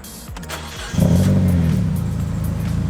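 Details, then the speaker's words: Mazda Miata started after eight months sitting and a new fuel filter; brief cranking, catches in about a second, settles into a loud but even idle with no misses; normal start and idle. "it always scares me when it drops down to the idol we're gonna sit here for like 10 minutes is so loud listen to it"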